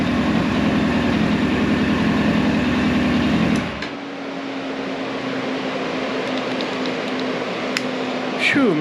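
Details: Hot 1999 Yamaha R1 four-cylinder, engine rebuilt about 600 miles ago, just after carb sync: steady, even idle with the cooling fan whirring over it, nothing irregular. Normal balanced idle with cooling fan running.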